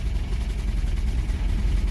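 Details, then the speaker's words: Toyota 22RE engine after about an hour running: low, lumpy idle with hard shake, struggling to keep running; owner suspects poor battery cable connection, unconfirmed. "There it goes. Well, it's got a hard shake to it anyways."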